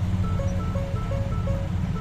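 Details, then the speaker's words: 2014 Ford Explorer automatic, key on, no start: steady repeating two-note warning chime with no starter click and no cranking; about 30 fault codes stored (BCM, RCM and others), fuses to be checked, cause not yet found. "Naku, wala. Ayaw umandar."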